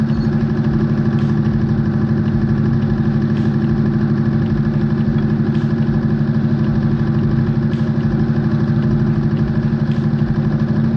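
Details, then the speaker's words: V6 with seized HLA lifters: uneven, lumpy idle with light ticking; all three cylinders on the right-head bank not firing at all, with the top-end fault, not rod knock, confirmed. "now all three cylinders on this Bank which is the right head they are not firing whatsoever they're just along for the ride"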